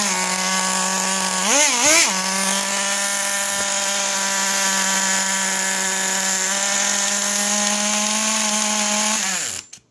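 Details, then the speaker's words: Traxxas T-Maxx 2.5 nitro, .15 engine, first start after three months, idle needle one turn from factory, low-speed needle one turn out: high buzzing idle with two throttle blips, never drops low; brakes now, idle still too high. "so as you can see it's definitely better it's breaking now at first this would not stop and the thing is the idol is still a little bit too high so we'll turn that rich a little bit"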